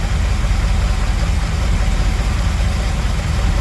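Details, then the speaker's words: 1978 Dodge D200 big block 400 V8, 727 automatic, 100,000 miles, after firing order corrected: deep steady idle with even thumps, no misfire, running on all 8, though a weird little funky sound remains. "Runs great. Still makes that weird little funky sound for some reason. Yeah, it's running on all 8."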